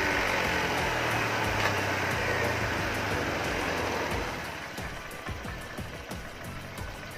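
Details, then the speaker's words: Honda Vario 125 after throttle body carbon cleaning: small engine runs with a quick, even patter, quieter and smoother than before cleaning; normal idle, no roughness or misfire. "Motornya berhasil dihidupkan dan suaranya lebih halus dari sebelum kita membersihkan carbon body."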